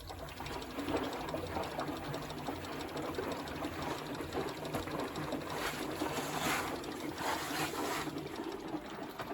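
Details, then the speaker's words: Bosch WFP3300 washing machine on first test wash, drum turning anticlockwise, drain pump working: quiet even motor hum with faint fast ticking from the brushes, no grinding or knocking; normal motor running. "you can hear the ticking from the brushes but it's quite a silent motor"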